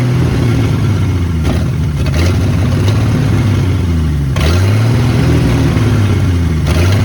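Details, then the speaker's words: 1972 Ford F100 Custom straight six on old coil, open exhaust without front pipe, fed from gas bottle: loud raw bark, even firing with throttle blips, no noise or smoke; healthy running engine. "okay we ran it one more time just to test the old coil and the coil actually worked so uh it's it's a running engine now it sounds awesome yes it's loud but there's no noise there's no smoke"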